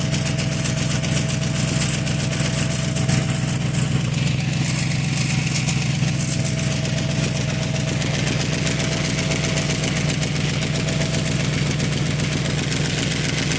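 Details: 1995 Chevrolet Caprice V8 at idle: a sharp, rapid puffing tick over the exhaust note from a bad exhaust leak at two spots. Some unidentified fluid was also seen.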